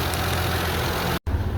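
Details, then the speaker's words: 2001 Mazda 626 2.5L after replacing dead injector: even steady low idle, no stumble; short-term fuel trim bank 1 now 6 to 15, down from +30 lean; idling normally. "All right. So, sounds like it's idling pretty well."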